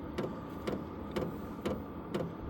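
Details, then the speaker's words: Vevor 8 kW diesel heater, new, first startup, after startup smoke cleared, turned down to lowest setting: soft even fuel-pump ticking about twice a second over low steady fan hum; normal running on low. "we've manually turned it down as far as it'll go on low um we're going to leave it on low real quick just so you guys can hear"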